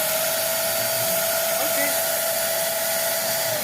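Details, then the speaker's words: Steady high-pitched motor whine with an even airy rush, no rumble or grinding, from a Multipro ESP99HP electric spray gun after replacing its motor bearing; runs smooth and healthy. "normal Ya nanti tinggal dalam saya tes di apa di pengecatan lah ya mudah-mudahan sih bisa Bagus ini kondisinya udah udah enak nih"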